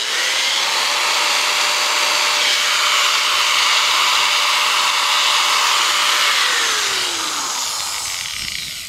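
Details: Bosch angle grinder with intermittent on/off fault, after cleaning switch terminals (wires, carbon brushes, commutator checked OK): steady high-pitched whir at constant speed, even tone, smooth spin-down; runs normally for now, new switch if it recurs.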